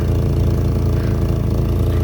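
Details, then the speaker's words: Rover 820Si car that has sat unused, idling; steady low idle with a faint breathy chuff riding on the exhaust note, exhaust heard blowing, no apparent oil leaks; exhaust leak. "um this car has been sat here fast forward starting i don't know how many times it doesn't appear to be any oil leaks about it i don't know i can hear the exhaust blowing in that but uh other than that it's not too bad"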